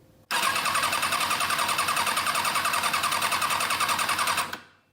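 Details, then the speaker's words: 2005 Kawasaki ZX-6R with one of four cylinders not firing; about four seconds of steady starter whirr with even quick pulses, no firing, during a spark-plug-to-ground coil test; coils tested good, cylinder 4 wiring suspected. Normal cranking with spark. "Die krijgt dus een vonk Dat stelt mij gerust dat deze bobbine nog zijn ding doet"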